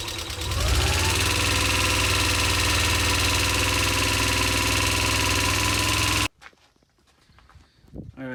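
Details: Subaru EJ22 just reinstalled and restarted, in neutral, warming up: light quick ticking about three per second over the idle, then shutoff.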